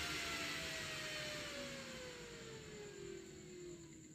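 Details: Homemade TIP41-based DC speed-controller module (12 V) driving a new 12 cm DC fan at high speed: strong steady rush of air with a faint fan tone easing down slightly; normal smooth running.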